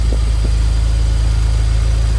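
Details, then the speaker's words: BMW E91 335i wagon N54 engine at idle after the ignition coil swap (misfire code had moved to cylinder 2 with the coil, confirming a faulty coil); engine not yet warm. Low, even idle with no stumble or skipped beats: no misfire, normal idle. "okay so as you can hear no misfire just to be sure we're going to read the code"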